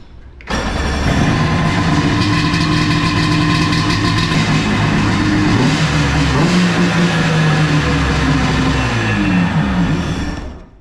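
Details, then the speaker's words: 1999 Sea-Doo XP Limited two-stroke with Pro-K filters, rejetted carbs and exhaust mods, in the garage with the battery confirmed charging: it fires right up and settles into a crisp, steady idle with clean revs. Runs healthy. "It's honestly relieving to hear this thing fire right up. Battery work as it should, but I'm not gonna tease you guys, you know, I'm gonna fire it up so you can hear how good this two-stroke actually sounds."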